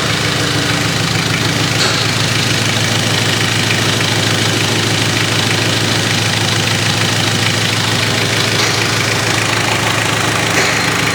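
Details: Mitsubishi Triton 4M40 diesel engine after overhaul: even diesel clatter at about three beats a second, steady and regular with no extra knock; normal healthy idle.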